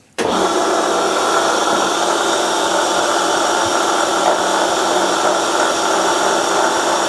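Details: Milling a vee block from hardened old forklift tine with carbide cutters, an angle cutter, coolant, 1 mm depth of cut: loud steady cutting roar with harsh rough chatter, growing louder as cuts deepen, from runout in cheap out-of-round Chinese arbor.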